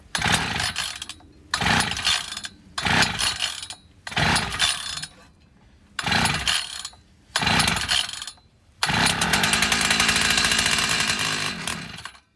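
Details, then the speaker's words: Old Craftsman 536 two-stroke tiller unstarted about a decade: recoil pulls, catches with carb cleaner sprayed in, runs a few seconds then dies; has spark and compression, so fuel starvation, carburetor suspected. "because it has the fire if it had fuel it would run it's just not running so that means that it's the fuel carburetor"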